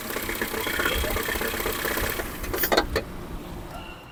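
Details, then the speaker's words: Ford Fusion 2.0: engine drone then short burst of harsh metallic clatter around cranking/restart; noise comes from a broken flywheel ring gear, not the engine. "liga as bobinas né propositalmente para o carro não pegar o Lucas vai dar partida dá partida olha o barulho que faz olha o barulho vou colocar o microfone Tá bom olha aí você viu barulhão"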